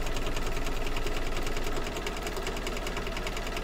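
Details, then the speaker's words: Embroidery machine stitching a quilt block placement square: fast, even thumping around three beats a second under the stitching clatter, louder than it should be; owner unsure why, suspects it may be adjusting. "I don't know why it's so thumping it's a bit louder than it should be"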